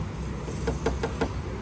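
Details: Honda PCX150 scooter at idle: four sharp plastic clacks over a low rumble as the loose front windshield rattles at its mounts, before fixing the windshield noise.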